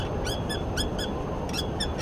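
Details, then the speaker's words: Paramotor pre-flight check: muffler struck by hand gives banging, clanging metallic rattle from loose exhaust bolts that should be torqued down. "should not be a banging clanging sound so that's bad so let's see what's going on here and it's right here so these bolts are live that's probably okay but that should be torqued down"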